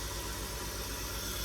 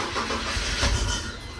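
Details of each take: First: 2003 BMW 325xi (E46) first start after installing a new fuel injector: steady even idle, smooth low pulse with constant airy hiss, airflow sensor reading erratic, no leaks seen; normal idle. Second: 2003 BMW 325xi (E46), fuel pump fuse removed to depressurize before an injector replacement: the engine catches with a quick burst, runs a moment, then dies. Stall from fuel starvation, as intended.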